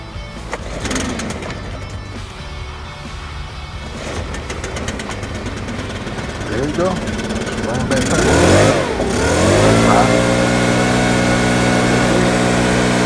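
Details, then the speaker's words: Stihl BR600 backpack blower two-stroke engine starts after some fumbling and settles into a steady high buzz without sputtering, running healthy after carburetor replacement. "put that together crank it up you see it run on the spot"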